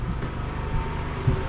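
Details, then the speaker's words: Inverter generator loaded with water heater and microwave at about 3500 watts, no waveform distortion: low, even, quiet drone with no surging or knocking; barely making noise, running healthy. "i mean the generator is barely even making any noise so we're pulling 16 plus 13 so 3 500 watts"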